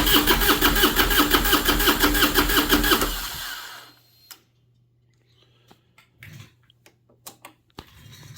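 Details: 2001 Harley-Davidson Road King Special with a no-start problem, fuel pump on a makeshift ground that runs continuously; even starter cranking near three beats a second for three seconds, then silence without firing; cranks but won't start, cause unconfirmed.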